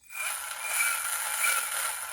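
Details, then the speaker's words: Replacement motor reassembled, small gear on the shaft with grub screw on the flat: even, high-pitched fine-tooth gear whir, louder than expected but normal, with no knocking or clunking. Gears are meshing cleanly. "fine tooth gear that sounds good they may have a bit of a sound more sound than you may have anticipated but that's what they do sound like as long as you haven't got any knocking sounds or clucking sounds that's perfect"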